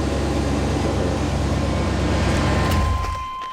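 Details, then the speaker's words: Truck with one aftermarket catalytic converter and G80 locking differential, being driven on the road: smooth, deep V8 rumble with road noise, then easing off, even pulse without misses or knocks; normal engine and exhaust sound. "Sounds good. Sounds really good. It's only one cat on it, one aftermarket."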